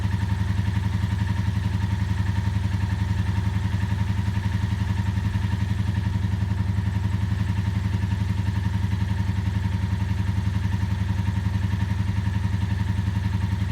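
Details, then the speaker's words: Ticking at idle on a barn-find 1984 Honda V65 Magna VF1100C V4, first start after revival and fuel line flush: steady idle with light regular clicking about four a second; owner unsure if valvetrain clacky and suspects not all cylinders running; no smoke. "trying to figure if the engine is clacky or not not convinced it's running on all cylinders"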